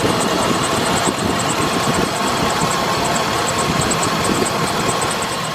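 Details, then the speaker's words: 2007 Chevy Express 3500 van V8 idling warm after running about 20–30 minutes following the Motor Medic treatment, before the final oil change: a steady, even idle with a faint light tick high up but no lifter clatter. Normal idle. "Yeah, no lifter tick, no nothing. I was really surprised this came back. Because this, I mean, you heard in the first video, she was rattling."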